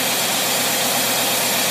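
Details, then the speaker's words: International truck engine on test after a Holley two-barrel carburetor rebuild, mixture set, idling under light load: steady even roar with no misses, surges or knocks; smooth normal idle. "already got the mixture set we're checking this Idol with a light boat like one person in the truck"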